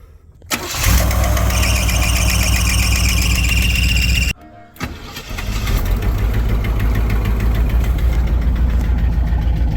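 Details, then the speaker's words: 1984 Chevrolet Camaro Z28 after belt replacement: cranks and fires quickly into a steady low idle, stumbles once briefly then restarts smoothly, with no belt squeal on cranking. "Now that it has the belt replaced, it doesn't squeak like heck when you go to crank it up."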